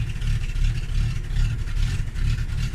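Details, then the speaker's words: Carbureted Fox-body Mustang V8 cold start in the morning, throttle pumped, choke may be electronic: lumpy, uneven low thump that wavers and stumbles; rough cold idle until held at about 1000 rpm, then idles well once warm. "so when i start it all right as you can see here it's idling very bad so i have to"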